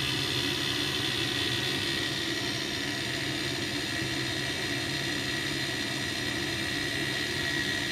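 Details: Ideal Mexico HE30 gas boiler (ISAR/ICOS/ESPIRIT family), during DIY repair work for LF, H4 and LE error codes: steady, even burner and fan roar with smooth hiss, no knocks or rattles; firing normally.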